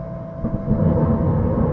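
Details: Landlord's furnace after a basic cleaning; it used to light, run about 15 seconds and shut off: a quiet hum, then a soft low whoosh as the burner catches and settles into a steady roar; normal burner ignition.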